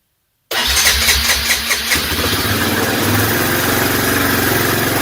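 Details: Suzuki Eiger ATV that only clicked, now with worn starter brushes replaced, started with fuel on and choke on. Brief crank whir, then it catches at once into a steady, quick idle with no clicking. It starts cleanly.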